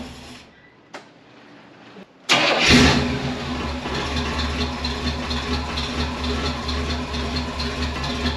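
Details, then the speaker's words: 1978 Pontiac Formula Firebird 350 V8, revived after 21 years in a field; rebuilt Holley carburetor floods and won't atomize despite good vacuum and lowered float. Fires after cranking, stumbles with lumpy loping rich idle. Rough running from flooding carburetor. "vacuum looks really good on it it still just does not atomize good it dumps fuel"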